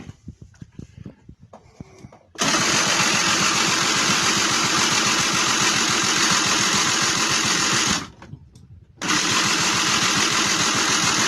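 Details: 1999 SYM Jet 50cc two-stroke scooter, previously non-running (no spark), after exhaust refitted: sharp buzzy note holds, drops out briefly, catches and runs evenly while mixture is set; it runs.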